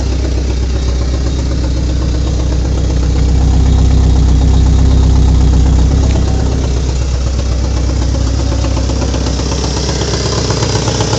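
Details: VTS engine after new spark plugs and coilpack, cam timing checked, compression 225–240 psi: loud idle with a regular lumpy thump about four times a second; misfire, owner wonders about the MAP or crank sensor.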